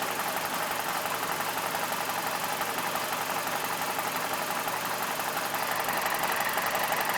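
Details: BMW E46 with N42 engine, mic close to the engine, MAF unplugged: uneven loping idle, roughly ninety pulses a minute, with busy mechanical clatter; still rough idle, cause unknown.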